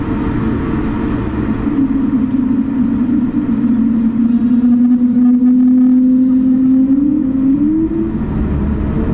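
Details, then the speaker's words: Air France A220-300 takeoff from Milan Linate, recorded in cabin: steady warbling whale-song tone over the takeoff roar, drifting higher as the jet climbs quickly and quietly; normal A220 sound, nothing wrong. "okay so let's get the sound turned down for the takeoff and see if you can hear what can only be described as a whale song as we depart let me know if you hear it in the comments"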